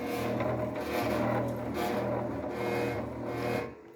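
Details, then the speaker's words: CNC router table with newly mounted 5 hp spindle: buzzy, uneven hum with rough rattle swelling and fading as the stepper-driven axes creep at low speed; fine at higher speeds, owner suspects acceleration settings. "you hear the vibration it's fine when it's on a lower speed or a higher speed it doesn't do it but when it's on a lower speed it it makes a weird vibrating sound"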